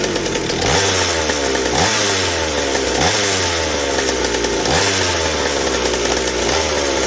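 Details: McCulloch 790 chainsaw frame with MC101 kart engine, new header and pipe, 3D-printed carb adaptor: repeated revs climbing to a screaming peak with no four-stroking at top speed; carb can't deliver enough fuel on high speed, running lean.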